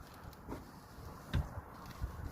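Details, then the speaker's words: Peugeot 407 3.0 V6 coupe, jacked up, suspected failed wheel bearing: dull low clunks and vibration each time the raised wheel is rocked by hand, from bearing play. "So, a wheel bearing will move like this. Hear it knocking, vibrating."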